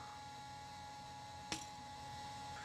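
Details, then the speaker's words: Mercedes W220 S320 intake runner solenoid, held under hand-pump vacuum, with voltage applied: one crisp click over a faint hum, and the vacuum releases. Solenoid switching normally. "could hear the click on the solenoid. All the vacuum is gone."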